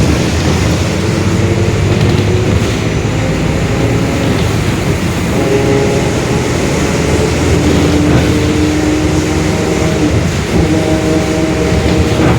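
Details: 2021 Marcopolo Torino S bus on a Mercedes-Benz OF-1721 Bluetec 5 chassis, recorded onboard while driving: a steady low rumble with a humming tone that shifts with road speed, a growling rear differential.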